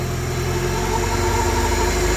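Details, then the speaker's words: Honda Civic EK, warm after running half an hour despite start-and-stay-running trouble, fuel pump suspected; fast, steady even idle around 2000 rpm with no hunting; high idle, idle air control suspected, not confirmed. "which you would think is idle air control and the fact that it wants to idle at like 2,000 RPMs except for that it seems to be running fine"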